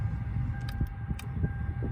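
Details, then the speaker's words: Lexus LS430 power seat motor after replacing the faulty seat controller module (seat could go down but not up): steady, even electric motor hum with faint clear tone over low rumble as seat moves backward and forward; normal seat motor operation. "let's see if this thing works oh wow it actually it actually does go backwards and forwards and now the main problem"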